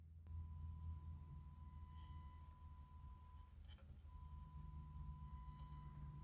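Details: Strauss SRT-15 15 W guitar amp driving a 100 W 8 ohm load resistor with a kilohertz test tone: the tone drops out and returns with faint ticks and crackles; a faulty, red-plating power tube causing crackling and signal dropout.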